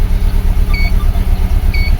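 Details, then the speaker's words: 2004 Subaru Forester EJ20 turbo, low power when cold in mornings, no check engine light: rough lumpy idle with dead miss, worse than the day before, aftermarket turbo timer fitted; cause not yet found. "Okay, let's start it. I put it off. And yes, it does have a miss."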